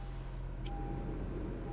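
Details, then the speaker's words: 2019 Acura TLX with 96,000 miles at an IAA auction, listed with unknown damage and judged not flooded; engine idling in park after start-up with a steady, even, very quiet hum and no knocks, misses or rattles: a normal idle. "Okay, we'll put the key back here. Engine sounds amazing. I can't even really hear it."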